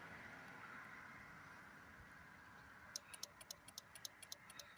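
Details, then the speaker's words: Toyota Auris hybrid with no crank, no start, dead OBD port and fob faults, just after a blown ECU fuse was replaced: quiet, then sharp, fairly even clicks at about four per second; cause not yet found, another ECU fuse is also blown. "it's that one. You can hear some sort of clicking now."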